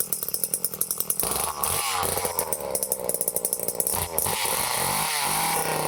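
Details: Late-1970s Power Mac 320 two-stroke chainsaw, barn-stored unused since early 1980s, after carburetor rebuild with new gaskets, metering parts and springs and the metering lever reset lower: pull-start strokes, then it fires and runs with a crisp, steady buzz; running properly.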